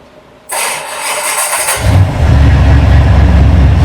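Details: 1947 Ford hot rod V8 with ram-horn manifolds, after reconnecting custom plug wires to fix a dead miss: brief crank, catches, settles into steady even low rumble on all cylinders; normal start and idle.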